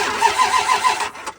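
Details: Engine cranked via the starter relay: short burst of quick, even cranking that dies away without catching; circuit problem suspected.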